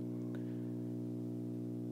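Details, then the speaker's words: Bang & Olufsen receiver on the phono input, turntable off and DIN cable unplugged (the hum gets louder unplugged): a steady low mains hum with a buzzy edge. Owner asks if it is a grounding problem; cause unconfirmed. "so my question is what is this hum is this a grounding problem do you think it has a distinctive sound about it this is without the cable plugged"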